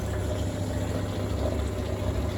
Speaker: Don't see anything leaking, and it seems to work just fine.